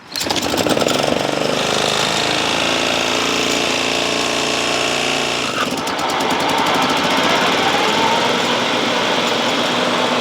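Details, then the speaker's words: Toro Timemaster self-propelled mower with a blown head gasket: loud, ragged engine with uneven popping through the run instead of a clean beat; wheel bearings also need replacing. "I would rather see him replace the blown head gasket on there."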